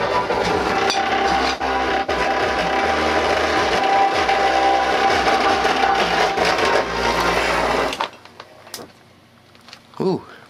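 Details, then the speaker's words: Behringer 10-inch woofer from a B210D being overpowered: harsh gritty crackle and buzz over loud distorted playback for eight seconds, then cutting out as the voice coil overheats and burns out. "oo I hear it crackling look at it spit out a bit of it"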